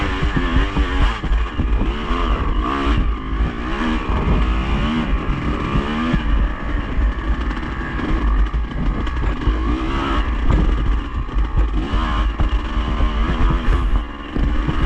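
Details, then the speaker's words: Yamaha IT 200 two-stroke during a vintage hare scramble after a tip-over in the bushes; rough, uneven clatter at idle while revs creep higher and higher, not like a lean air-screw setting; cause unknown. "you notice, you can hear the like the engine, the idle's getting higher and higher. You know, it's looking getting worse and worse, and I can tell there's a sound that don't really know what it is, but I know it's not a normal sounding sound from just having a lean setting."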